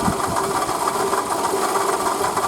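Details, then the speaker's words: 2008 Toyota Camry 40, 2AZ-FE 2.4L, 176,000 km, original pump and idlers: fast light knocking over idle that grows as belt tension rises, appeared the evening before; worn water pump bearing, fixed by replacing pump, belt and coolant. "слышим Да какой звук появился начал потихонечку себя проявлять вчера вечером уже прям вот сильно"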